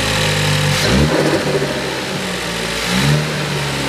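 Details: 2018 Ford Focus ST just fitted with a CP-E cold air intake, MAP sensor reinstalled; fires up and blips twice, climbing and settling smoothly with a louder induction note; revs cleanly with no faults.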